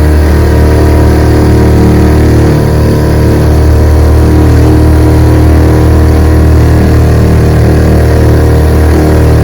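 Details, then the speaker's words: Restored 1948 Johnson TD20 5 hp two-stroke outboard on a lake test in choppy water, about 8–10 mph on the boat: steady, even full-throttle drone with no stumbling or surging; healthy. "Pushes the Missy boat about 8 miles an hour against the wind, 10 miles an hour with the wind. Let's open her up, see what she can do."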